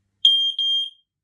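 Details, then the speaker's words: Newly bought smoke alarm sounded with its test button: two short, piercing beeps around three kilohertz, steady and clean with a brief gap, in two different tones. A normal, working alarm test tone. "This is what it sounds like. It's like it makes two different tones."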